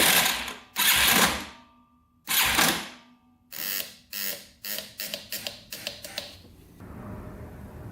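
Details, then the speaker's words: Yamaha TTR230 dirt bike, non-running, cranked on a charger after a drained battery: harsh uneven clanking bursts, then faster ratchety clicks, something grinding. "Sounds really clanky, doesn't it? Ooh. Yeah, that's not sounding good at all."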